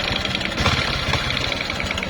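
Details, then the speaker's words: Honda Supra X 125 motorcycle, won't idle and hesitates at mid throttle, oil almost completely gone: harsh, diesel-like clatter at idle; bottom-end and piston knock from worn crankpin and loose piston. "Didengar sendiri, Teman. Suara mesinnya ada kayak suara mesin domping ini,"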